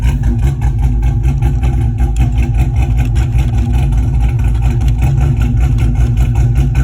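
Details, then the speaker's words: Pontiac GTO V8 idling about 10 minutes after fuel pump reinstall with fuel pressure restored to 50 psi (previously stalled after 5–10 minutes); deep steady burble, even lope, no knock or stumble; smooth healthy idle. "okay got the gto idling in the background and i'm just going to come back in here so i don't like a silhouette but it's been running for about 10 minutes so far"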